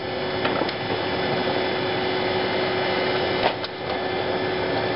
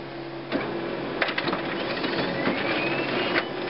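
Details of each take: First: HP LaserJet 4000-series printer running a test page after seating the separation roller clutch: steady mechanical whirr with faint even tone and light regular clicks as the page feeds; normal print cycle, before the error 41.5 clutch-dislodged demonstration. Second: Laser printer with lower tray inserted by itself, not seated with the other trays: steady motor hum with uneven clicks and rattle as paper feeds, then a 41 error and blank page, a misleading error often blamed on the scanner assembly.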